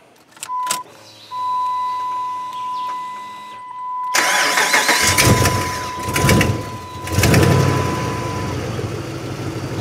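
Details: 2006 Dodge Ram 5.7 V8, very high mileage, after repair of years-long intermittent start-then-die fault, next morning: chime, short crank, catches at once and settles into a steady even idle; starts and runs properly.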